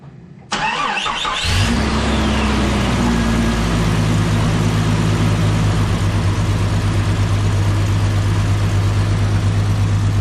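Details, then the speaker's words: 1998 Jeep Cherokee XJ after a repeat exhaust leak repair with a new header and new Felpro gasket. The starter spins briefly, then the engine catches and settles into a steady, even idle. There is no ticking or puffing, and smoke is preservative burning off the header. Exhaust leak noise is gone. "That's just all the preservative burning off of that new header. But all the exhaust noise is gone under the hood."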